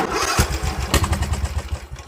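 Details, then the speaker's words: Briggs & Stratton engine on a Yardworks ride-on mower with a broken decompression valve; starter labours through a few heavy, slow strokes and never catches, as if the battery were flat. Workaround: set just past TDC, half throttle, cover intake. "you go to start it and it won't start and that's because the decompression in the engine is gone so you've got to start it and it's it feels like your battery is flat but in reality it's just too much compression for the engine to overcome"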